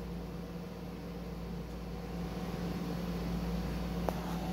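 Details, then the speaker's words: PC with a Ryzen 3000 CPU on an MSI B450/X470 Tomahawk board, RESET SW jumper removed, powering on: fans spin up smoothly with an even whoosh and low hum, no rattle or ticking. Healthy fans, and it posts. "okay let's turn it on see if it boots up again there we go fans of spinning"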